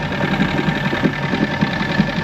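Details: 1996 Force 120hp two-stroke outboard on a Bayliner Capri: short steady burble at idle, even low pulse, no misfires; idling normally.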